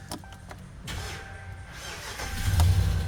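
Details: Dodge Ram V8 (Hemi) starting on a new Mopar battery after earlier needing a jump: a few clicks, brief crank, then a steady low rumble; normal start, though the non-typical ticking noise remains.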